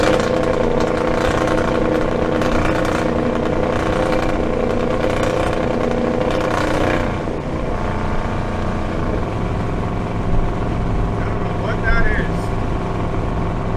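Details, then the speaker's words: 1975 Dodge D100 hot rod with Holley Sniper EFI at full throttle on the freeway. The drone stalls and won't climb past about 3,500 rpm or 75 mph, then falls off. Cause unknown at the time; fuel starvation is suspected. "I don't know why it did not want to get above like 75 miles an hour under Full Throttle it was hitting like 3 500 RPM it just would not power"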